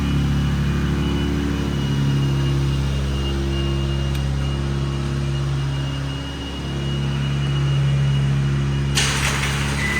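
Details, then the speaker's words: 1987 Toyota MR2, mid-mounted 1.6L DOHC fuel-injected 4-cylinder, about 42,000 miles: cold fast idle around 2,000 rpm, dropping as it warms; steady, even hum with a light tick behind it; normal while warming up. "These idle around 2,000 RPM when they're cold, and then as the engine temperature increases, the RPM drops a bit. So that's why you hear the high RPM."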